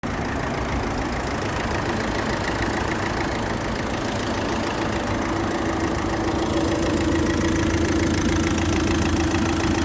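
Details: Opel Astra J 1.7 CDTI 96 kW diesel at 337,500 km idling with a quick, steady clicking, about three or four clicks a second; oil leaking on turbo-to-intercooler pipe and throttle body pipe; owner asks whether engine runs normally.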